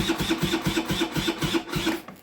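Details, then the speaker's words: Restored 38-year-old Honda scooter after refitting the carburettor with a larger 102 jet: electric start cranks slowly, fading and stopping without firing, as the battery is flat; kick start does nothing either. Fuel reaches the carb, no leaks. "So yeah, the battery's dead. And I've tried kicking it and it just does nothing. Not even a little bit of hope. It just does not want to start."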